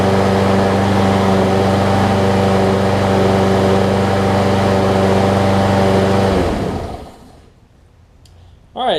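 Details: Troy-Bilt XP push mower after replacing a broken 25mm blade adapter that made it hard to pull, oil changed: steady, even engine drone with no knocks or misses for about six seconds, then it shuts off and spins down.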